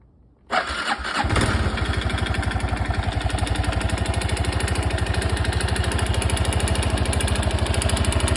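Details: Honda Super Cub 110 (JA07) starts and settles into a fast idle with a steady ticking knock about three per second riding on it; abnormal engine noise, source not yet pinned down.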